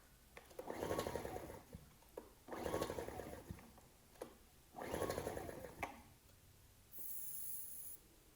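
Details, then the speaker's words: Ryobi RIG1000 inverter generator, old varnish-smelling fuel, on spray starting fluid with choke on and off: three pull-start cranks of chugging with no catch; good compression; cranks but won't start. "i'm just going to try and start it on this spray starting fluid i know that's not good for engines but i didn't want to commit to putting fresh fuel in this machine just in case it had a problem i was trying all sorts of choke on choke"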